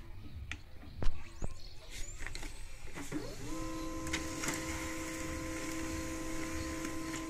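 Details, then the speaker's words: HP LaserJet 136w/136a laser printer after refitting the toner cartridge: a few clicks, then a smooth, steady hum with no grinding or squeal; running normally. "कि यह देखिए हमारी printer के आवाज को एकदम smooth अच्छी तरह न ही कोई आवाज नहीं आ रही है इसमें"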